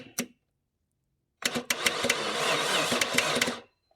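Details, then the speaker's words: Maserati 3200GT, starter fed directly by touching a screwdriver across its terminals: a click, a pause, then about two seconds of uneven, labored churning at roughly two turns a second; the starter is cranking slowly. "I think it's trying. Yes, it is. That's working. Not cranking very quickly,"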